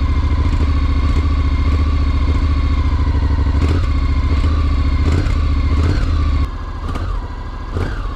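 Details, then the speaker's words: 2021 Honda NC750X DCT twin, cold start: lumpy idle, and small throttle openings stutter and hesitate, which can cause stalling; lean fuel injection ECU mapping is under recall, fixed by an ECU update. "there's not any plane to throttle but when you open the throttle up just a little bit it always seems like it stutters whatever"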